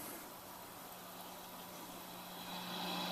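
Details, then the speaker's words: Auction Peavey Heritage VTX amp, unknown condition, second channel with post turned up: steady hiss with faint low hum swelling slightly as gain rises; normal noise, channel passes signal. "Okay, I get hissy noises. That sounds like sound. So let's listen to our hiss."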